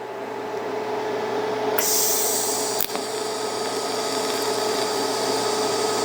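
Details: Beginner's first TIG lap joint on cold rolled steel coupons, current raised to 120 amps because it might still be too low: steady, smooth arc hiss with faint even hum, no popping or sputter. Bead looks much better, a little wavy, with faster travel.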